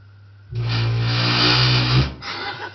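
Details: Worcester Greenstar ZWBR 7-28 HE Plus gas boiler gives a sudden loud, low buzzing rumble held over a second then fading, during the morning routine; ongoing over a year, began after fan assembly replacement, engineers have not fixed it.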